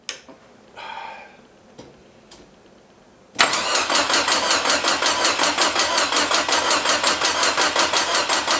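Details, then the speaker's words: Forgotten Datsun convertible, cold shop, after fitting a forklift starter in place of the seized one and priming the oil pump; the new starter cranks at a steady rhythm of about three compression beats a second but never fires, because no fuel was hooked up. "you know what's going to make this work a lot better gas"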